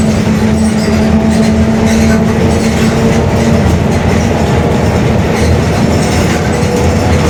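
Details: Mercedes-Benz OF-1721 Bluetec 5 bus chassis, Mascarello GranVia Midi body, cruising: steady low drone under road and engine noise at constant pitch for a few seconds; growling rear differential.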